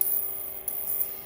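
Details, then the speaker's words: Sundown Audio SFB-1800.5D five-channel car amplifier on test bench; faint steady hum with thin high whine audible from the amp; tester suspects the transformer rather than the choke. "is it coming through the transformers or is it the choke i think it's a transformer"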